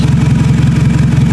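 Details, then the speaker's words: 2000 Toyota Camry at 180,253 miles after replacing a failed ignition coil: quick, regular, evenly spaced engine pulses with no skipped beats. The misfire is gone and it is running on all cylinders. "But there you go, purring like a very large cat. It's running just fine. There's no misfire whatsoever."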